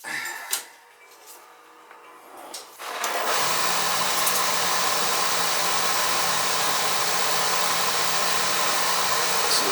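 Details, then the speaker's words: Oil-fired boiler burner after dropping to a smaller nozzle and back-flushing, air band being reset: quiet, then ignition and a steady, even roar with no pulsing or rumble; clean, stable firing, possibly wanting a bit more air. "Fires. I'm going to cut the air band back. Fry it. Looking fine in there actually. If anything, I could give it a little bit more air."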